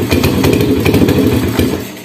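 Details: Motorcycle started on a dead spark plug whose ceramic was broken away with a screwdriver as an emergency fix: the engine catches and runs briefly with quick, fairly even firing pulses before fading; no misfire or clatter.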